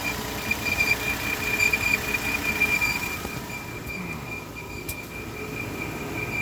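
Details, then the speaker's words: 2013 Volvo XC60 with the engine running: a steady, high-pitched single-pitch whine, loudest under the engine, starting only once warm after about 15 minutes; not the usual loose-belt noise, and the source is unknown. "okay I got a 2013 Volvo XC60 trying to figure out where this noise is coming from I hear it loudest under the engine so I'm going to go under there"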